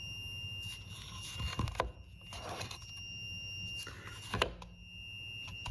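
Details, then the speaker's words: 1Plus S10 scooter charger after almost three hours of charging, red charging light: thin, steady high-pitched whine, charger very hot to the touch. Cause undetermined. "this has been charging for almost three hours and um I came down just now and I'm hearing this whining noise trailing out there"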